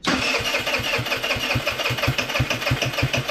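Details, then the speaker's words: Scooter with no accelerator pump, stored longer than the rest of the fleet on ethanol-free fuel, cranking by starter: about three beats a second with ragged sputters and tailpipe smoke that never catch; needs choke. "Give it a couple pumps. I don't think this thing has an accelerator pump. No, it doesn't. I might just need to choke it."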